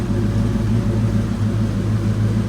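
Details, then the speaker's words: 1992 Mustang GT Foxbody V8 after the engine bay was reassembled: a steady, deep exhaust burble with an even rhythm and no misses, ticks or rattles; it sounds better than ever and is running pretty good. "actually sound better than ever hands [Music] yes she's running pretty good we're working on it"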